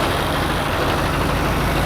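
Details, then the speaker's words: 1953 GMC pickup: steady even low rumble with no knocks, misses or surges; engine idles smoothly with about 50 psi oil pressure and truck moves under its own power. "it runs and it moves under its own power"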